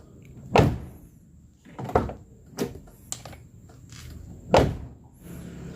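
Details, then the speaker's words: Car door that wouldn't close, fixed by cycling the power door lock and opening the handle: several firm, solid thunks with clean latch clicks; the latch now catches and closes properly. "Nah, ada bunyi nih di sini. Totlak di sini dan dia sudah bisa tutup dan ini hasilnya."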